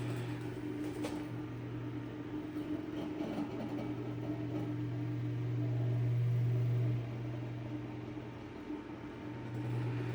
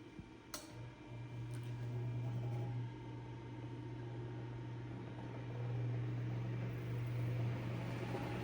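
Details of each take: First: Eskimo electric fan under repair, with a badge needing correction and a weak spin: a steady low motor hum with a light, fairly regular tick about four times a second, like rubbing. A loose screw or part is suspected, not confirmed. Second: Eskimo 1005/1005R desk fan (McGraw-Edison, 55 W, 105-120 V AC), after repair: steady low motor hum with even soft whir, no rattle or scraping; normal running.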